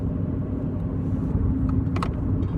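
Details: Chevy Cruze at about 53 mph after front wheel bearing replacement: steady low road rumble without the previous loud roar, with possibly slight rear wheel bearing noise.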